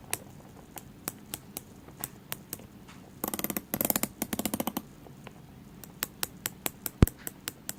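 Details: Tag Heuer Aquaracer Calibre 5 watch: sharp, light clicks, with a brief run of rapid ratcheting clicks, when the bezel is pressed, only at the 30 mark.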